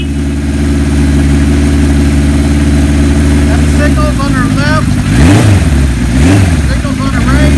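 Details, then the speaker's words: 1975 Kawasaki Z1 900 four, 23,000 miles, cold, on choke: steady even four-cylinder burble at fast choke idle, no knocks or misses; healthy cold engine warming up. "the bike is cold so I'm going to turn the choke on press the button"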